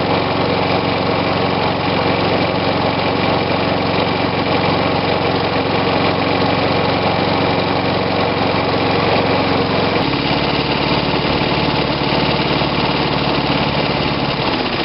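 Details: Old Snapper push mower with a Briggs & Stratton engine dated December 1987, first start on choke after refurbishment: small single-cylinder engine runs steadily, then settles to a lower, even speed after about ten seconds with no misfires or rattles.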